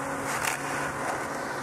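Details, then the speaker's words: Variable speed pool pump: steady gravelly crackle and hiss from cavitation due to starved water supply; opening the spa drain made it go away, impeller not clogged; no cavitation at or below 2,600 rpm (48 gpm). "you can see it completely went away so now we know for sure that this is just cavitation"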